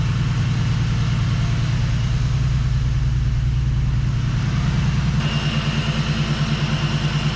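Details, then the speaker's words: Turbo BMW E36 drift car after fire repairs, idling; even low idle with a steady rhythmic pulse and no misses, knocks or rattles; smooth running, normal idle. "catch fire no fires no breakdowns it's nice and smooth I'm happy"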